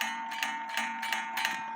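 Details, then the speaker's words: 1860 Black Forest wooden-movement Schild/Surrerwerk clock after repair: hammer striking inside gong gives clear, sustained ringing with light taps about three per second; gong rings freely now that it no longer touches wood base; normal strike. "up to where the hammer hits the inside gong, listen to it. So it sounds good."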